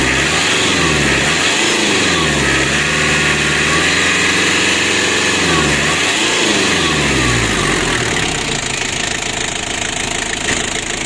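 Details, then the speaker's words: Ford Ranger diesel losing engine oil: revs rise only modestly and fall back, never climbing freely; won't rev high, injection pump is faulty. "ini tidak bisa juga sangat tinggi teman-teman masalahnya untuknya sudah bermasalah ya"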